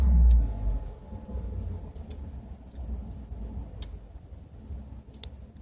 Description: My 2012 Ford F-150 5.0 idling rough due to Ford retarding ignition timing 9* on the cold start map.